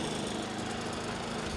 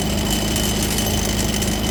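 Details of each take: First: Predator 3500W generator running after fixing the wheel-lock rattle by inserting a plastic piece that pinches the metal lock tight to the wheel: even, quiet hum with no metallic chatter; runs clean. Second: Predator 3500W generator running before the fix, with the wheel lock engaged; a constant metallic rattle and ringing over the engine hum comes from the wheel locking pin and plate mechanism.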